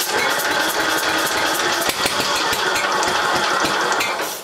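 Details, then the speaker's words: Briggs and Stratton single-cylinder engine on a Gilson tractor, first start after full rebuild and carburetor jet fix; chugs slightly unevenly with some rattle but runs steadily, needs a little adjusting; normal running. "now just turn it off it's running it needs a little adjusting but not bad we had the whole thing torn apart so it's good to see it's it's good to hear it running"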